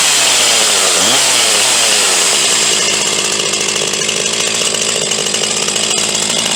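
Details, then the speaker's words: Huztl G366 (Stihl MS361 clone) chainsaw, owned about three to four months, running warm: screams high, then dies coming out of the cut or falls to a ragged, uneven idle as it gets hot; leaning out from a plugged fuel tank vent. "then she'll die coming out of the cut and really wanna idle real well unless I've got an idle and quite hot she keep leaning herself out got an issue with the fuel vent"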